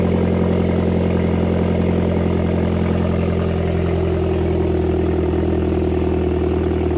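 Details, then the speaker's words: 2010 Hyundai Genesis Coupe 2.0T after head gasket and new turbo install, downpipe missing so exhaust open at O2 sensor: steady even low idle, loud exhaust, no misfires, correctly timed; sprayed lubricant burning off. "sounds pretty good though all right so gives you guys just saw it runs good we timed it correctly she sounds like she's in time firing well no misfires"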